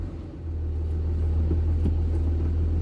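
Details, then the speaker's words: Diesel truck after a manual transmission swap replacing the G56, without a boot or silencer: steady, smooth low idle rumble with no whine, rattle or grinding from the gearbox underneath. Quiet and normal. "there's no noise at all coming from underneath here"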